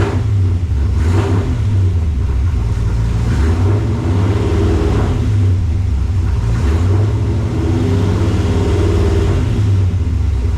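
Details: 1968 AMC Rambler American 401 V8, rebuilt, after tuning and timing adjustment: deep, steady rumble swelling and easing through smooth, even revs, no misses or knocks. Healthy.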